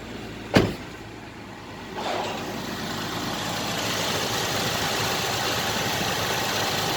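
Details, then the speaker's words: Nissan Elgrand NE51 VQ35DE V6, automatic 4WD, 107,000 mileage, tested in Japan before dismantling: a single knock, then a steady even idle, rpm not hunting, no misses or ticks; engine runs smoothly and healthy. "VQ35DE, автомат 4WD, 107 тысяч пробег. Работает ровно, оборот не плавает, АКПП переключается, все работает."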